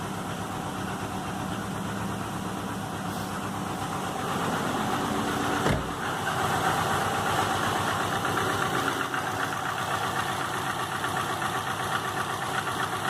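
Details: 2005 Subaru Legacy GT rebuilt (refurbished block, new crank and bearings, used rods/pistons and heads) after spun rod bearings; warm idle oil pressure 22psi, new plugs, no exhaust leaks, used VF40 turbo: light, fairly regular knock about four per second at idle, cause unknown.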